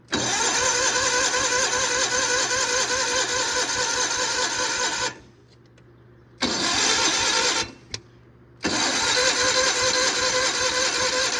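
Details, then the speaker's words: 1991 John Deere 316 garden tractor, worn Onan P218G twin, not run in years: starter spins it in long steady bursts with rapid even chug but it never catches. Cranks, won't start; carb pulled next, cause unconfirmed. "Man, this thing does not want to run."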